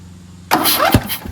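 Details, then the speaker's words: Craftsman DLT2000 lawn tractor with small twin engine, cranking on a test battery: rough bursts with sharp pops, not normal; owner suspects a blown head gasket. "You hear pops? Yeah. It's got some kind of blown something right there. Blown gasket? Head gasket? You hear the popping. That's not normal."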